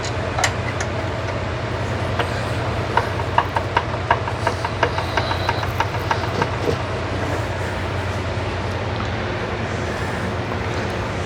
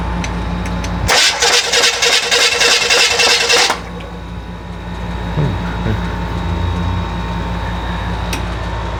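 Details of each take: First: Rebuilt FC engine, never yet fired, while setting ignition timing, on an old starter: steady even cranking, crisp regular clicks three or four a second over a low drone; normal starter cranking. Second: Rebuilt FC engine, first start attempt: about three seconds of fast, even cranking with no firing, then it drops off; fuel pump not running because its wire was partly off, so no start.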